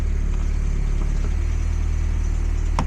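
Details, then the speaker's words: NA Miata with an engine swap and a homemade intake, only rough-tuned for new injectors with no wideband, started cold: deep, loping, irregular idle with stumbles; the mixture is off and it needs cold-start enrichment or a proper tune. "all right so now that it's surprisingly running okay so that either needs cold starter enrichment or an actual tune"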